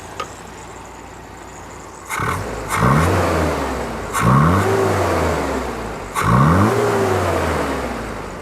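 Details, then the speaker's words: 1982 Toyota 22R with a performance-curved distributor and Weber 32/36 carburetor, after the mixture was set for maximum vacuum (just under 16 in): idle rose to about 825 rpm. Three quick throttle blips rise cleanly and settle without stumbling. It runs healthy. "It sounds happy. We're actually now, as you guys saw before, we were just under 750. Now it's wanting to idle about 825."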